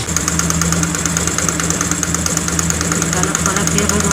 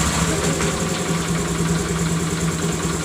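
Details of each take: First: Honda Grazia BS4 scooter at idle: sharp, quick ticking about three per second keeping time with the engine, first suspected as timing chain; spark plug found loose, only hand-set, leaking compression. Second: Honda Grazia BS4 scooter idling after the spark plug was tightened: steady, even low single-cylinder putter with no ticking or rattle, smooth and healthy.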